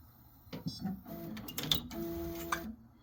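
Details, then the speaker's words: Prusa XL tool 5 squeaks on every dock and undock during the tool change; a short high squeak among the changer's clicks and whirs, caused by the nozzle rubbing on the dock, suspected not fully seated. "oh you know what it is I know what it is look at that see that little thing there that's the nozzle hitting it"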